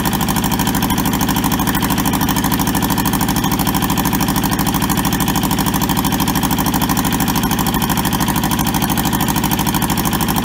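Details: Toyota SDK4 diesel skid steer, bought sight unseen and arriving rusted and frozen, on its first restoration start: jump-leaded starter and a small temporary diesel tank. Steady, even diesel clatter at idle with regular firing pulses, no misses or knocks; idles smoothly and healthy.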